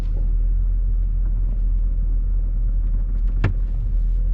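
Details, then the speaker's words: Jaguar F-Type R on the road: under steady rumble, a sharp clunk and flexing from the rear chassis/suspension near the roof support pillar when hitting bumps or certain turns; cause unconfirmed. Body creak and clunk over bumps. "if I take a turn just right or if I'm driving down the road hit a bump just right I hear the flexing I hear the clunk back there"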